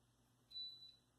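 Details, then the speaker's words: Newly installed range hood: a single sharp high-pitched half-second beep over a quiet room each time the light or fan is switched on, the hood's normal switch confirmation tone. "okay the lights on but it made a beeping noise and another beeping noise so basically I can't turn on a light or turn on a fan without hearing this beep"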